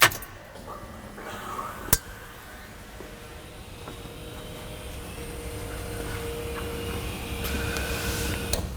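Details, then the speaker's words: Dad's truck final assembly, key-on: faint steady few-second whir with no strain; fuel pump priming normally and quietly, no leaks, fuel pressure reaching 60 PSI. "That sounded like fuel pump cycling to me. And it was quiet too."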